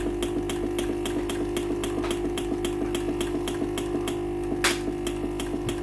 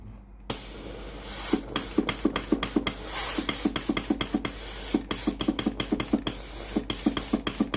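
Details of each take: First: Philips PSG8160/30 steam iron that powers on normally but gives no steam, pump heard running constantly after steam button pressed: rapid regular clicking about three per second over steady hum, no steam hiss; failed water pump. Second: Philips PSG8160/30 steam iron after replacing the faulty water pump (fault: no steam, pump noise constant): sharp pump clicks about three per second with bursts of steam hiss when the water button is pressed; normal steam output.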